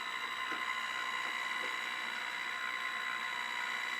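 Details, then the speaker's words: Converted Atlas model locomotive motor giving a steady, thin high-pitched buzz with tones near 1, 2 and 4 kHz at a low motor drive frequency setting of 15, in neutral with the throttle unchanged; noisy motor whine from low PWM drive frequency. "I'm sure you can hear how noisy that is at 15 in for the uh the frequency drive"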